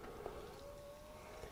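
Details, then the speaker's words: Enermax Liqtech TR4 360 Threadripper AIO cooler after about a year and a half, pump being refurbished and run on distilled water through a pin jumper setup; faint steady constant-pitch whir; normal pump operation. "lights come on the pump is whirring I don't know if you can hear that"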